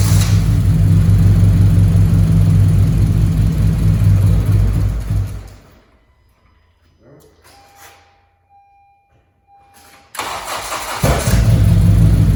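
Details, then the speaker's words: 9th-gen Honda Civic Si that won't idle, spark present, injector connectors suspected swapped; engine runs with steady rumble, winds down and dies, then fires again running rough: engine stalls, cause unconfirmed. "So as of right now, the car turns on, but it dies."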